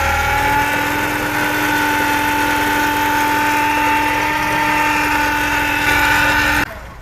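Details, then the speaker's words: Engine running at idle with a steady droning whine over it, from a worn power steering pump. The noise has troubled the owner for six months; the pump is being removed and repaired rather than replaced. "车辆打着火的时候，发动机传来嗡嗡嗡的异响"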